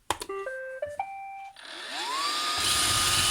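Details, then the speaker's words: iRobot Roomba 530 (500 series) starting a cleaning run after its brushes and filter were cleaned: short rising beep tune, then a whine climbing into a steady vacuum roar. It starts and runs normally. "Boom! It's working!"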